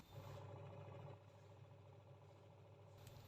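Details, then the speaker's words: Sharp single-tub washing machine tested after gearbox bearing replacement and tub refit: low, even motor hum with a soft change as the pulsator reverses, no grinding; normal pulsator wash operation. "mencuci ini kelihatan pulsatornya bisa berputar bolak-balik"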